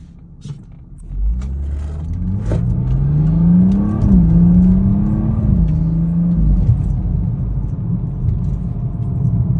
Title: BMW 440i xDrive whining noise after transmission service